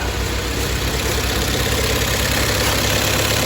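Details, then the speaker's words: Rebuilt Toyota engine idling after first start; coolant temperature sensor had been unplugged so the ECU read about minus 45. Steady, even idle with smooth low hum, no knocks or misses; sounds okay, normal idle. "so it's gonna be like well it's gonna dump Fuel and it's gonna recharge your timing so we need to get started beautiful that actually sounds okay"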